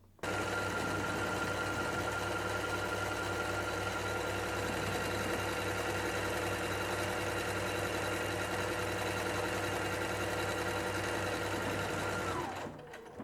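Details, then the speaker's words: Singer SE9185 sewing and embroidery machine sewing buttonhole number 3, one of its 7 buttonhole styles: a quick, steady stitching rattle at about three and a half stitches a second, even and clean. It sews normally. "Aí eu vou voltar e vou fazer aqui novamente na máquina, já selecionei a terceira. Aí você pode fazer todas para você testar."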